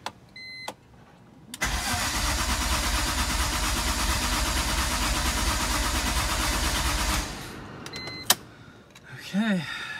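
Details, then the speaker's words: BMW E46 M3, 173k miles, engine pulled and refreshed with new rod bearings; cranking with fuel pump unplugged and coolant not yet filled: starter spins engine briskly and evenly for about five seconds, smooth steady rhythm, no knocks or scrapes; healthy cranking. "I guess it's time to plug in the fuel pump and hopefully it turns on very nicely, but that sounded very healthy. By the way, that was cranking, so at least nothing's on fire so far."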